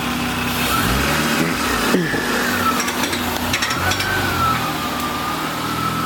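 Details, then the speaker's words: Just after the transmission was filled, clutch pedal adjusted and bled: engine idling with a wavering scrape and irregular ticking; the alternator is rubbing on a nearby bolt. "That noise that you guys are hearing, Yeah. that noise is actually the alterna"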